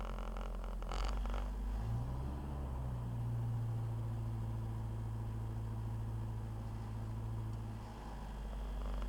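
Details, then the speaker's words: Toyota 22R truck engine, Weber 32/36 carb, rebuilt with 7,000 miles, cold start at about 10°F after sitting overnight; brief stumble then steady low hum at an even fast idle on the choke's high idle, clutch out. "Now some of you might make a comment that the high idle's too low. But once she warms up just a little bit and she still stays on the high idle, she'll idle about 2,500 or so."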